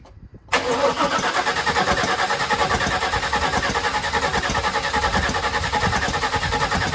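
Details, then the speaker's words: Rebuilt 1979 Chevrolet Malibu V8 (new cam and heads), first start attempt, cranking with no fuel in the carburetor: sharp pops on each turn, suspected loose spark plug or header leak, not confirmed. "The reason I say that is because I can hear it popping as it's rolling over. It could also be the header right there too."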